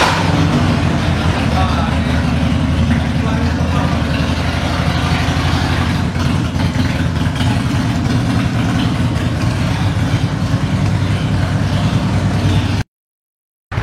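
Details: Carburetted Harley-Davidson V-twin idling after a tune-up and oil change: steady, even, loping idle with no popping or backfires; engine sounds healthy.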